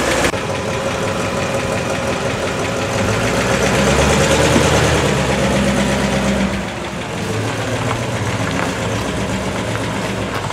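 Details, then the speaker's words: 1966 Pontiac Tempest 326 V8 with a new Holley 750 double-pumper carburetor replacing the old two-barrel, on a dual-plane intake: lumpy idle rises in a short rev, then settles to a steady even beat, running much better. Normal idle. "oh man I can already tell this thing is running a whole lot better buddy"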